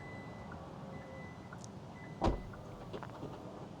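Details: Kia EV9 power tailgate closing while the rear hatch button is pressed and held (releasing stops it as a safety feature); short high beeps about every half second over a low steady motor drone, normal closing.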